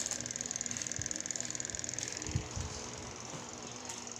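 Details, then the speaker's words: Spin dryer after replacing the faulty timer (old one ticked but wouldn't engage the motor): fast even clockwork ticking over a faint hum that slowly fades. The new timer is working and now engages. "Okay bago na timer natin Tingan mo timer nito it bago kinabit ko gumagana siya"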